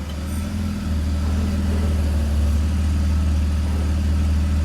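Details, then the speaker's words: BMW E46 with M54 engine, automatic, with a working torque converter, cycling park, reverse, neutral, drive: low smooth even idle in gear, earlier extraneous noise absent; normal idle in gear. "Ну и последнее ви непосредственно послушаем уже как работает двигатель при переключениях передач с исправным гидротрансформатором"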